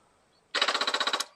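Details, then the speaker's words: Stolen, abused Royal Enfield Meteor 350 of unknown mileage, first start attempt with the kickstand down and the fuel pump primed: about ten sharp even clicks in under a second, no cranking; dead battery and loose battery cables. "all right we got a dead battery but it's trying to do something well thankfully the lock for the side panel's also been destroyed so it won't be too difficult to get into the fuses and the battery okay well the cables are loose"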